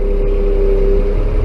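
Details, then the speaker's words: Bucket truck with a Caterpillar 3116, cold start in winter without the block heater plugged in: mid-pitched whine over the engine while unfolding the booms, then fading. Cold hydraulic fluid not moving adequately through the pump causes cavitation; warm-up prevents damage. "And then at a certain point here, I can almost guarantee you're going to hear this truck whine. And what that is that's the fluid not moving adequately through the pump."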